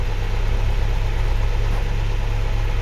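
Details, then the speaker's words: 1983 Land Rover Series 3 long wheelbase at idle after fitting acoustic matting: steady deep drumming hum with droning buzz, roof panel resonating from engine vibration, stops when pressed by hand; roof panel vibration at idle. "I can already hear the difference in the front just with it ticking over. You can hear the roof starting to vibrate."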